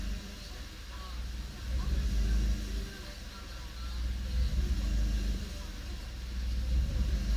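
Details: Suzuki Swift Sport ZC32S at idle: engine speed swells and drops every two to three seconds in a steady hunt that never settles; surging idle.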